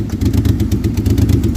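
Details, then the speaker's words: Chevy Impala daily driver at idle; owner says it's running on only two or three cylinders and wonders about a rod knock. Lumpy, uneven idle with irregular heavy diesel-like chuffs and a clattery rough beat: engine misfire on several dead cylinders. "Yeah, you were running on like two, chat. What should I do here?"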